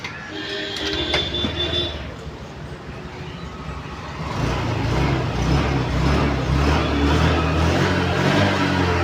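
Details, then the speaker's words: Honda Activa 6G BS6 with a self-start fault (no reaction on the starter), kick-started before the repair: after a few quiet seconds the engine catches and settles into a steady, even low idle with no knocks or misses. "அதே மாதிரி kicker start பண்ணோம்னா கரெக்டா இருக்கு"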